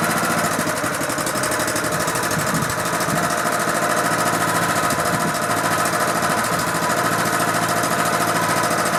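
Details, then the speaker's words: Honda GX engine on pressure washer that sat outside about 10 years, just revived: steady, even single-cylinder beat with no misses, knocks or hunting; sounds healthy. "first poll how about that boy that sounded good"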